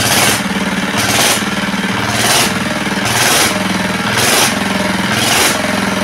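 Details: R180 single-cylinder diesel after a repeat crankshaft replacement and an oil dipper cut at an angle: it chugs steadily with a sharp hiss-like burst about once a second; oil pressure indicator now normal, engine running normally.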